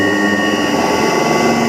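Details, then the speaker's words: Motor run from INVT CHF100A VFD with carrier frequency (P0.14) set to 1: loud steady high-pitched whine over motor noise; low VFD carrier frequency, noise fades when raised to 8 and higher. "अब मोटर की आवाज़ सुनो। ये देखें मोटर की काफ़ी ज़्यादा आवाज़ है।"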